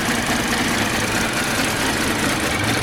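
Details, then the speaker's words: Engine whose oil was not changed for 4 years, run on a flush of mixed leftover oils; uneven, lumpy rough idle that slowly settles but keeps returning, spark plug looked fine, lifters suspected. "But hopefully it runs, and can you hear that? It's not very happy. Not very happy at all."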